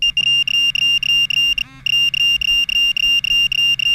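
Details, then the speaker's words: Minelab Pro-Find 35/15 pinpointer at max sensitivity with Ferrous Tone ID on, held over a nail: a high beep broken into rapid even pulses like a fire alarm, with vibration felt too. This is the normal ferrous-target tone. "Now here is the nail. Can you hear the difference? Listen, there's a pulsing that you hear. It's broken like a fire alarm."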